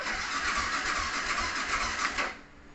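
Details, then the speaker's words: Yamaha R15 with idle problem and DTC 46: starter churns slowly and labours, then quits without catching; battery voltage drops from 11.4 V when cranking, so the fault is the battery. "drop akinya drop teman-teman berarti permasalahannya di aki ini"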